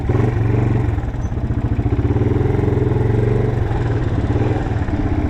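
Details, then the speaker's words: 1987 Yamaha TW200 single-cylinder on a light test ride after no-start repair: loud, raspy thumping with sharp popping pulses at each firing from an exhaust leak; engine otherwise runs great. "The exhaust is a little bit annoying, so I don't really want to ride around the neighborhood too much. Need to get that taken care of right there because it it is annoying, but it runs great."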